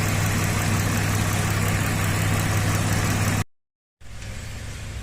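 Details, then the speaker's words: 2007 Suzuki XL-7, 144,000 km, after cleaning a purge-related vacuum fault: low, even idle rumble with a steady beat and no skips before it cuts out; P0300/P0301 misfire in history, but the engine is not misfiring now. "so that would account for the purge detected during non courage event but I don't know about the misfire this thing has only got 144 thousand kilometers on it so I trust the spark plugs are all original but certainly not misfiring now"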